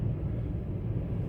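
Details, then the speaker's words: 2005 Toyota Tacoma, cold, customer complaint of heavy shaking: low, lumpy idle with uneven beat; scanner shows misfire count on cylinder 1 (P0301). "Y si pueden fijarse Miren el uno miren miren ahí está la falla ve el motor como está temblando para que puedan ver vean comoo tiema el agua ahí cilindro 5 cilindro 6 Dónde está la falla presente miren cilindro un ahí está el conteo"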